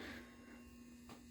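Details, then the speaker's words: Lord of the Rings pinball machine transformer: a constant low electrical buzz with steady pitch and no rhythm. It never buzzed before but was never left on this long, and the cause is unknown. "but i am not exactly thrilled about the buzzing of the transformer because it never used to do that but then again i never really had it on for this long before"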